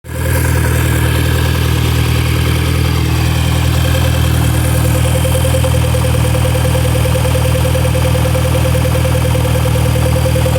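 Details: VW Golf MK5 GTI at idle: steady low rumble with a persistent mid-range ticking buzz; owner asks if it is normal, cause unknown.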